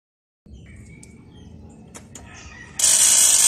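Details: LG 21-inch CRT TV with power but no display: two sharp snaps then loud bright crackling hiss, high-voltage arcing around the picture tube's anode cap.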